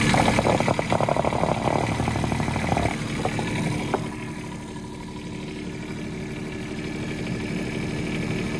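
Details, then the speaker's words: Develon excavator diesel started after an oil-leak repair, settling into a steady, even idle with a smooth hum and no knocks or rattles; no longer leaking, normal idle. "Looks good at the minute. Good news. Not leaking anymore."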